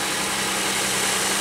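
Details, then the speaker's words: 2001 Pontiac Aztek GT, rebuilt engine, after snugging loose intake plenum gasket bolts: steady idle hum under hiss with no high-pitched whistle, shaking less, though a misfire code still shows. "it sounds good it's not even shaking as much now well it's still showing up as a misfire but oh man I cannot believe that that's incredible"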